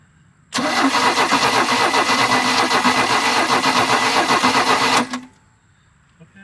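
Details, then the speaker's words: 1986 Larson V175 Seneca ski boat engine, gas poured down the carburetor: strong rhythmic cranking for about four seconds with a few weak catches that never pick up. A spark tester shows no spark; the distributor cap is to be checked. "all right so I got my spark tester on there I spun it over and it's not uh it's not sparking so we're going to pop the distributor cap off"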